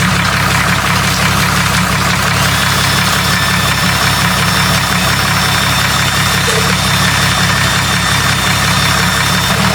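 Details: Jeep 4.0 engine in a test of oil weights, possibly with gear oil added: a steady idle with a light, fast tick at about three per second. Owner suspects lifter noise; cause unclear.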